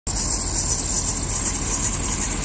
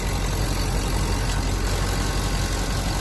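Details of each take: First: so now we'll be showing this problem many people have shown a repair for this the belt drive belt or serpentine belt squeak you hear the crystal clear squeak Second: Serpentine belt that had squealed, restarted after silicone lubricant was sprayed on it. Steady, smooth idle with no squeal or chirp. Belt now runs quiet.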